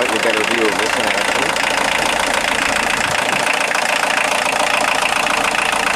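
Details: 1990 Volkswagen Jetta Mk2 1.6L diesel, after alternator belt drive repair and modification, checking for squeal: even idle with steady clatter, no squeal or chirp from belt; normal idle, accessory drive healthy.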